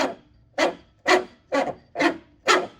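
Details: 1985 Pontiac Trans Am cooling fan motor, fan blade removed: rough gritty growl in short bursts about twice a second, fading as it spins down; worn motor bearing, motor replaced.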